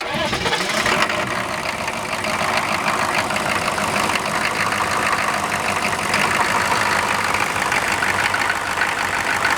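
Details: Air-cooled engine cranked cold with its fan just installed: a busy, steady rattling idle with plenty of fan and valvetrain chatter and no misses or knocks. Normal idle.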